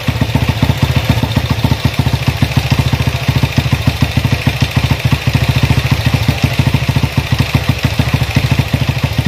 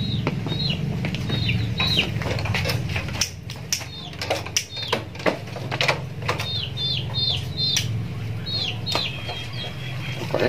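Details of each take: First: Honda CB motorcycle with newly fitted PWK 30mm carburettor after fixing stutter at full throttle: steady thumping idle, then smooth clean revs up and down, no misfire. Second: Honda CB motorcycle with a PWK 30mm carburetor: fine at low RPM but popping and misfiring (brebet) when revved, with an irregular sharp stumble. The carb jet setting is the likely cause of the over-rich mixture.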